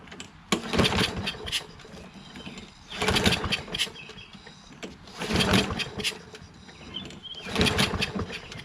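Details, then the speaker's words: Poulan 22-inch self-propelled mower with Kohler XT675 engine, auto choke, spark plug refitted: three pull-cord bursts about two seconds apart spinning without catching, good compression; cranks but won't start. "let's see if it starts I mean I'm just confused as to why this doesn't run why the spark book was taken out"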